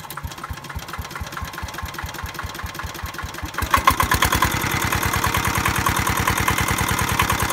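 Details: Military-surplus Hatz single-cylinder diesel, unused since stored in 2003, first start: crisp, regular chug that picks up speed smoothly; fires evenly and runs healthy.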